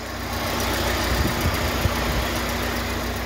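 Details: VW Fox 1.0 hot at 99–100 °C with the cooling fan cycling: steady idle with only faint isolated clicks and no knocking. Oil pressure is near 1 bar at idle and now reaches the required 2 bar at 2,000 rpm. Normal hot idle.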